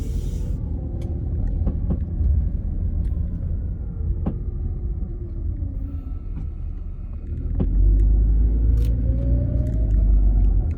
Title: Clicking Noise from 2015 Prius when accelerating from stopped